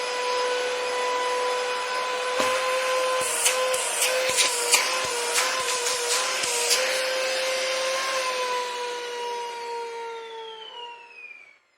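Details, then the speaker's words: Dyson DC-40 vacuum found in the trash, motorized brush roll running; a steady high whistle over the motor hum with scattered clicks, falling in pitch as it spins down; owner thinks the post-motor filter makes the sound. "So I think that's actually the post-motor filter making that sound."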